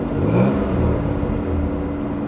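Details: 1988 Chevy Cavalier Z24, warm engine, light throttle blip while watching the oil pressure gauge: smooth steady hum swells briefly and settles back evenly, no misses or knocks; healthy engine.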